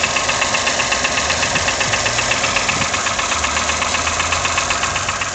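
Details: Toyota 1KR-FE engine at idle with new chain, tensioner and guide: loud even tapping about four per second keeping time with idle; knock of unknown cause.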